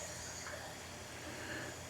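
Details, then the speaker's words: 1981 Jeep CJ7 4.2L (248) inline-six, leak-down test checking for head gasket failure: faint steady hiss of escaping air for two seconds, no bubbling; moderate, acceptable leakage. "so what we're going to listen for is a couple things you want to make sure it's at top dead center if it's not you're going to hear air coming either out of the carburetor right here or you might hear air coming out of another piston or cylinder"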